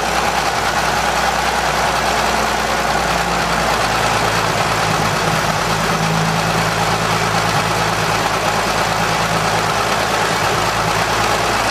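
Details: 1920 Seagrave fire engine, freshly fully rebuilt motor running after its first start in 60 years (9/4/2010), compression release off: deep, steady idle holding an even beat with no knocking or stumbling; normal, healthy idle.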